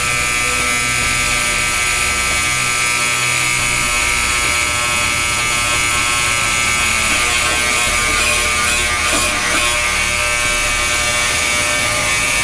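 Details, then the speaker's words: Yescom 6L stainless steel commercial ultrasonic cleaner, new out of the box, just switched on with heat set (reads 21°C, target about 60°C) for 30 minutes: steady, harsh, high-pitched buzz with rattling edge; owner wonders if it's supposed to sound that loud, cause unclear. "I wonder if it's supposed to sound like that. That is terrible."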